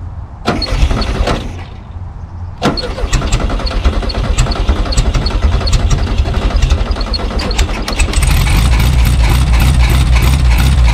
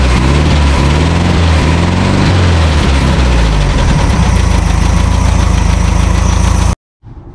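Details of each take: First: 1974 VW Super Beetle sitting since 2002, carburetor cleaned, first start: starter cranks, catches briefly, cranks again, then fires and settles into a steady, fairly even idle. Owner hears slight ticking/knocking, unsure if normal; oil needs changing. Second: 1974 VW Super Beetle flat-four, sat 20 years in a field, first start after carburettor cleaning, oil not yet changed: rough idle with a light tick about four per second over the drone; owner unsure if normal; engine ticking at idle.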